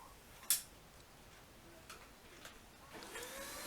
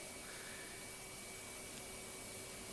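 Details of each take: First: Dyson DC24 upright vacuum spinning up after a few knocks, a thin steady whistle over the airflow that lasts a few seconds then cuts out; filter possibly needs new seals, suspected, not confirmed. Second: Cheap turbine brush head on a vacuum, compared fairly against a Dyson turbine head: even suction rush with a thin, steady whistle from the spinning brush roll; runs smoothly and normally.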